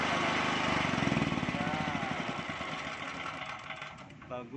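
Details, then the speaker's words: Loncin 8800D petrol generator with newly fitted ATS panel and electric auto choke, key-started: catches quickly, steady even chug that tapers off cleanly, no stumbling or misfire; normal start and run. "Coba kita lihat, coba nyalain dang starter dang, pakai kunci starter."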